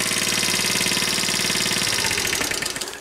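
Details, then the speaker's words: 1981 Honda Passport small single after low-compression repair, owner thinks valves may need re-adjusting: quick steady beat with no missing, then winds down as shut off; starts easily, healthy running. "but it starts really nice and really easy let me see turn it on and uh see how good she'll start quick and that is oh"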